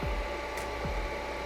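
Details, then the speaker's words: Dreiha CBX portable compressor fridge on a 14.2 V power brick: steady mid-pitched hum as fan and compressor start, before it cuts out with error F2, which the manual attributes to a blocked condenser fan; cause not confirmed. "okay so it was working and now it stopped with error f2 we had a look in the manual and it says that the condenser fan is blocked"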